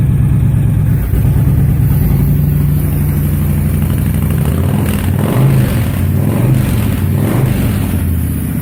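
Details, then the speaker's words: 2005 Honda VTX with Cobra slip-ons and newly fitted air intake, cold: steady, deep, loping V-twin idle, even beat, no misses or knocks. Healthy cold idle; carb to be fine tuned once warm. "Got to let her warm up thoroughly, and then we'll just fine tune that carb."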